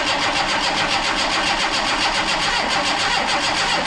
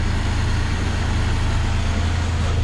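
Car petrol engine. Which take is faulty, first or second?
first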